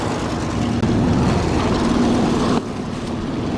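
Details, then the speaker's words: 1964 Mercury Montclair, stored 28 years in the Arizona desert, idling just after first start with oil pressure up and the alternator charging: steady, even V8 burble with no misses or knocks, firing on all cylinders. "it's got oil pressure the pressure gaug is up and the the alterator is charging the m gaug is charging sounds like it's firing on all"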